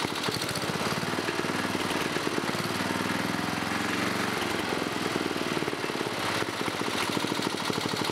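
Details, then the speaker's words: 1987 11 HP Briggs & Stratton single with electronic ignition, running on an old red carburetor at a fast idle; it also smokes. A faint dull tap rides each firing beat, which the owner thinks is a slight rod knock. Engine knock. "Well, guys, it runs. Seems like it's got a little bit of a rod knock, though. But other than that, it seems to be running pretty good."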